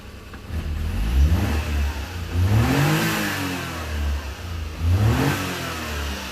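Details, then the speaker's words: Mini truck, owner unsure where it gets air and suspecting mouse debris in the frame snorkel: speed sags and climbs in uneven swells every couple of seconds, nearly dying then recovering; intermittent stumble, cause unconfirmed. "well now it's running fine nope almost died yeah not one thing it's another"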